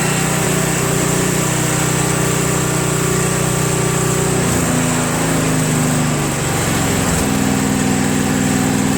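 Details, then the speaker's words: Craftsman Trac Plus 23" dual-stage snowblower, 5HP Tecumseh engine, cold first start after a year stored without stabilizer (tank was empty, fresh gas added, full choke): settles into a steady, smooth, even idle with no misses or knocks. "as you can see to start for a year with absolutely no stabilizer didn't do a thing to it but there wasn't any gas in it so maybe I ran it out of gas before I stored it idles well"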